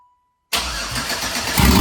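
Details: Pontiac Fiero with swapped 3800 engine: cranks and catches right away, settles into a steady even run as revs pick up slightly; healthy start, before coolant fill.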